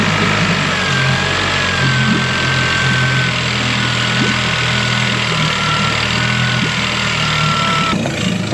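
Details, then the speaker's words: Brand-new dinghy outboard, first start after adding engine oil, cowling off; even, steady, very quiet low hum with no knocks or misses, brief initial smoke from new oil, clean normal idle. "let's see here it's so quiet the cowlings off and it's still so freaking quiet this is amazing"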